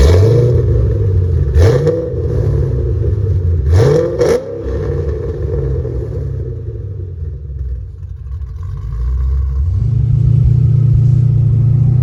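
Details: Ford Mustang GT 3V 4.6 V8 after a new engine, clutch, flywheel and headers install: a deep loud rumble with quick clean blips that rise and settle smoothly, then a strong steady pull. Normal revving and the engine ran really good.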